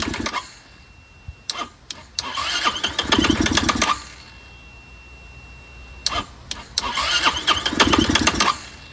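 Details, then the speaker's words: Curb-found Chinese 150cc Moto Cooper Revo/CF Moto scooter, ignition hot-wired (spark confirmed): repeated short cranking bursts catching briefly then dying; fires but won't keep running unless primed, owner suspects fuel delivery problem. "I still don't think it's getting gas that's what I think what the hell do I know it seems to fire up only when you feed it so it has a fuel delivery problem"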